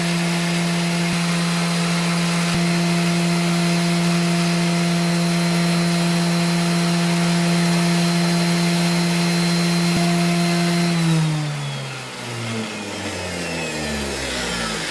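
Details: Dewalt 733 planer after repair for feed hesitation, with stiff chain links soaked in oil and a longer UHMW tensioner pushing up on the chain: steady high motor hum at constant pitch for ten seconds, then an even spin-down with no knocking or rattle.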